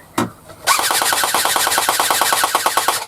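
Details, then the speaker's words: Rebuilt airsoft M4 gearbox firing on an 8.4 V battery: rapid, even mechanical rattle of about eight cycles a second, no jams or grinding; cycling cleanly, just slower than on a 9.6 V battery. "hear how much slower that 8.4 is now on a decent motor and gearbox."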